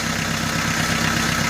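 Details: 4D56 diesel fitted with an electric fuel pump wired to the fuel solenoid feed, drawing 1.1–1.2 A, making the fuel system self-bleeding: a steady, even diesel clatter at idle with no misses, knocks or hunting. Normal idle.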